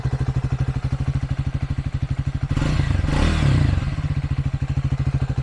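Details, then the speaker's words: 2024 Triumph Speed 400 single-cylinder with 131 miles; deep, even thump at idle, a quick clean rev blip, then back to a steady beat; classic thumper sound, healthy. "Really that classic thumper sound, that big single cylinder."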